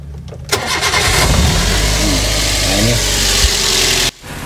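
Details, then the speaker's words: Daihatsu Luxio, about 10 years old, previously misfiring and hesitating with check-engine light, blamed on the ECU; cause was loose engine wiring connectors, now tightened: quick start and smooth, even idle, no misfire or stumbling, better than before. "normal sekali Mesinnya tidak ada brebet tidak ada pincang dan malah Justru lebih normal dari waktu pertama kali"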